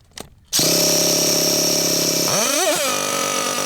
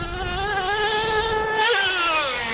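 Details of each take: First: Losi LST XXL2 1/8-scale RC monster truck, .31 cubic inch gasoline two-stroke, first run tuning at elevation: high, thin scream that surges, wavers, then sags and dies; high-speed needle barely out, mixture too lean. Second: Losi LST XXL2 1/8-scale RC monster truck, .31 cubic inch gasoline two-stroke with active vehicle control, after needle tuning while driving and jumping: clean, steady buzz climbing smoothly with throttle, no misfire; running healthy and sounding better.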